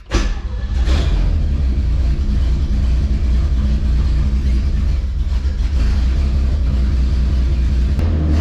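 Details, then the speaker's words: Classic truck inline-six on straight pipes, new exhaust donut fitted days earlier, idling in garage: loud deep steady drone; owner can't tell if it's a collector leak or just the straight pipes; loud exhaust drone. "So anyway, it doesn't sound bad. It's not outrageously loud, but it's, you know, it's loud in the garage."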